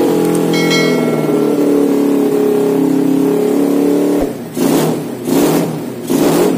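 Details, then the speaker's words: Honda Win motorcycle with Vega engine, freshly fitted PE26 KW carburetor, untuned: steady, even idle for four seconds, then three clean throttle blips rising and falling crisply; runs well without adjustment. "dan kita tadi review sekaligus langsung pasang dan tanpa menyeting kartunya sudah enak"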